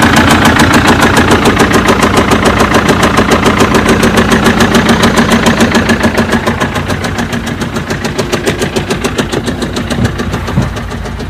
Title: Bruit anormal moteur bmw - Claquement moteur bmw - صوت طب طب طب فى محرك ب م ف